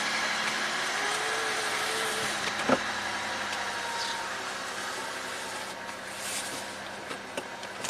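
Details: 2003 Chevy Malibu V6 after repairs for a P0171 lean code (leaking brake booster) plus brake and fuel lines: quiet, even idle, steady hum, no hiss, stumble or surge; closed loop with trims at 3% and 0%.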